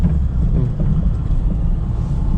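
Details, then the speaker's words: Car driven on smooth asphalt before a rougher street with potholes: steady low road rumble with no knocks or clunks. Normal here; the suspension noise appears on bumps, where a loose, worn shock absorber mount is the suspect. "no asfalto o carro faz barulho nenhum carro normal não tem nenhum barulho"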